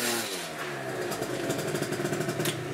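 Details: 2018 Aprilia SR50 carburettor two-stroke moped, after variator and carb clean for bogging on pull-away: crisp buzz revving cleanly up and down with no bogging or rattle, pulls strongly; normal running.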